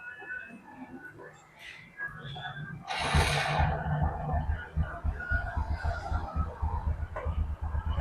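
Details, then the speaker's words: Honda Karisma motorcycle engine after a rebuild with a new connecting rod and nearly all main components replaced, earlier starved of oil, settles into a soft, steady putter with no knock: normal running, like new. "Ini untuk suaranya udah jauh teman-teman ya. Ini suaranya udah empuk kayak letong ini ya. Nah, udah kayak baru lagi."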